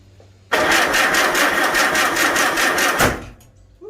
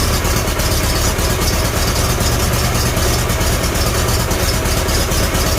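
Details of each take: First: Farmall Super A tractor after a magneto rebuild, with the choke on. The starter cranks fast and steadily for about 2.5 seconds but the engine never fires; owner says the ignition timing is off. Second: Farmall Super A tractor after the magneto was reset and timing adjusted. It idles smoothly with a steady, even low chug and no misses, knocks or hunting, sounding healthy.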